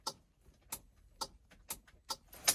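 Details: EFI-swapped vehicle after rewiring power and grounds, battery on charger, ECM unplugged: quiet background with a few crisp light clicks about half a second apart at key-on; relays pulling in normally.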